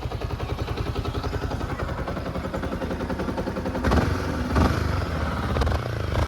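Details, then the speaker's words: Yamaha R15 V4 single-cylinder after repair of timing chain noise: idles with even steady putter, no rocker ticking, sounds like new. "पहले जैसे हो गया जैसे नया में इंजन का साउंड आता है वैसे ही हो गया गाइस।"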